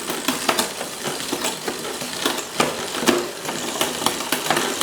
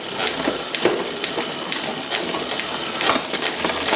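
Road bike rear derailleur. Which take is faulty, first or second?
first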